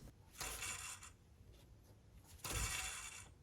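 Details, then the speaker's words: 1998 Toyota Tacoma idler pulley spun by hand during drive belt replacement, giving a dry, gritty rasping whir each spin: worn idler pulley bearing, pulleys being replaced with the belts. "you can hear this bearing is making a lot of noise"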